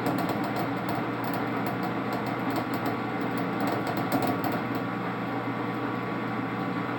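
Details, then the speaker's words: Lathe turning 4140 or 4130 steel after slowing the spindle to 190 to stop chatter, taking small cuts: even, steady spindle and tool hum with no popping or jumping; the cut is running smoothly. "Cutting good. It's making real small, like to sneak up on it."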